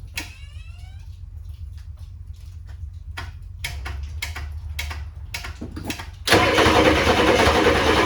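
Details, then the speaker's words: 1994 Ford F-250 IDI diesel first start after sitting for years, no antifreeze: clicking then loud sharp chuffing rattle at idle; owner says huge manifold leak, thinks one side's exhaust manifold is cracked. "Holy crap, she runs. It's got a huge manifold leak. I think it's got a cracked manifold on this side."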